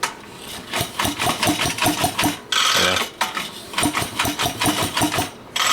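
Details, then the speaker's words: Pedal-bike build with two engines chain-timed 180 degrees apart: two bursts of evenly spaced pops with quiet pauses when turned over, one answering the other, a normal alternating compression pattern. "They are timed 180 degrees out from each other. So it's like pop, pop, pop, pop when you go to give them a chug."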